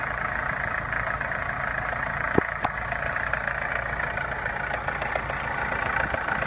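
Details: Opel Omega A Caravan 2.0 petrol at idle, owner hears two knocks, one diesel-like and one tapping: uneven clattery tapping with a few sharper knocks standing out; origin unknown.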